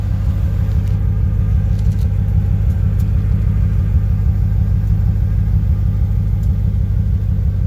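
Deep, steady V8 rumble at idle with an occasional uneven stumble in the beat, pointing to an intermittent misfire.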